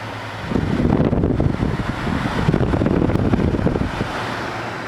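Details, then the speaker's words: 2013 Frigidaire FAD504DWD 50-pint dehumidifier, a curb find with a faulty control panel, on low fan speed at 75% humidity set to 35%: a click as the compressor starts, then a steady low hum with airy fan rush; running normally and fairly quietly. "or maybe the compressor is on there it is it just clicked on i was listening for it and it just clicked on all right"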